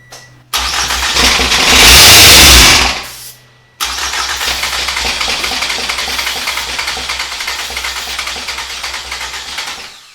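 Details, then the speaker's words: 2014 Toyota Camry SE, long neglected, throttle body held open with starting fluid sprayed: loud cranking, then it catches and runs roughly, fading out within six seconds; owner suspects no fuel delivery, fuel pressure untested. "all right it's fired i think the whole issue may be no fuel because it fires whenever we spray the starting fluid"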